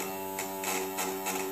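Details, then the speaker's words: Evinrude outboard power trim pump running with air bubbles visible in the fluid: a steady electric hum with surging hissy bursts about every third of a second. It is sucking air; bleeding it lets the fluid pump past so the trim works again. "that's where she sucking air and when you bleed that off that lets your air out and the fluid pumps past the air that just came out and she'll go working again"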